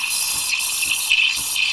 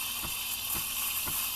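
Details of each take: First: Breville Barista Express steam wand steaming milk; sputtering gulps about three times a second instead of a smooth steady hiss. A poor steaming start; the wanted sound is a steady hiss. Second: Breville Barista Express steaming oat milk: a steady bright hiss with soft regular ripples about twice a second as the steam tip is raised just to the surface. This is correct stretching.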